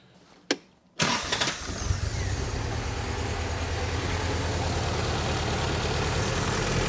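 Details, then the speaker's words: 1964 Triumph TR4 rebuilt engine running with the old distributor rotor that has play: cranks, catches and settles into a lumpy loping idle; scope shows high resistance on cylinder 4 spark line, traced to the worn rotor. "So she idles very rough for whatever reason with this."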